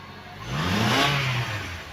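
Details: 2008 Honda CR-V after replacing faulty throttle body (previously poor performance, no accelerator response), coolant topped up: engine picks up cleanly from idle, rises smoothly and settles back without stumble or hesitation; throttle response normal.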